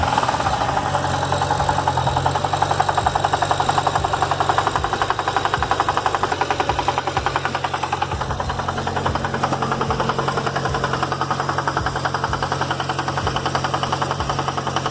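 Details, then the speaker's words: BMW 335i, engine sound before removal; steady rapid knocking at idle, about three to four per second, first thought to be rod knock but suggested it could be the A/C compressor instead. "so as you heard that weird noise I thought was a rod knock ended up posting it on the old channel and somebody actually had told me that yo dude it could be your a/c compressor"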